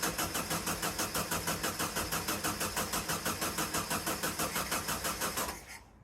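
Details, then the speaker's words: VW sandrail dune buggy, stood 18 months, plugs and distributor cap cleaned: starter churns about three beats a second for over five seconds, never fires; cranks without starting, spark lost, owner suspects 4-year-old coil pack, new one ordered. "Right, spark seems to have gone. The only thing it can be is the coil pack, which is about 4 years old, but it has been stuck for 18 months."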